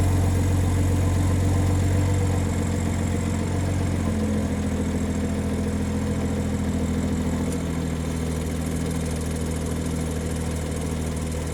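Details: BMW (catalytic converter replaced with a VRSF 200-cell sport cat) idling with a light metallic rattle underneath that changes with revs; owner suspects a wastegate rattle rather than just a heat shield, not confirmed.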